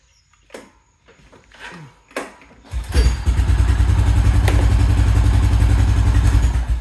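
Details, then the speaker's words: 2000 Honda Foreman 400 4x4 ATV, previously reported to have no spark, started with the pull start: after a few pulls it fires and settles into a steady, even single-cylinder idle with no misses. "starts right up okay I guess you know I was trying to start it up the other day I guess I literally could have just used that pull start"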